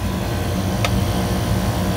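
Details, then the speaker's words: Walk-in freezer compressor on a rack, Southern California after a 110–115°F weekend, after a 3-day outage; compressor reset, wet (water pre-cooled) condenser whose water flow had been stuck off, likely winterized. Steady low hum, single click, not bypassing; running normally. "It's got a wet condenser, so we're gonna let it run for a minute. It's not bypassing at the moment."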